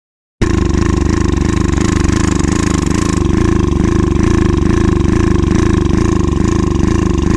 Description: Access motor ax700 misfires, hesitation. Injector is clogged, fuel pump issues and fuel filter is clogged.